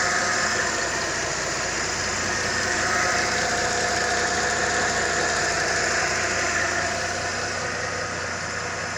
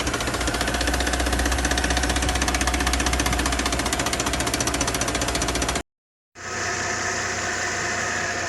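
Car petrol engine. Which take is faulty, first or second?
second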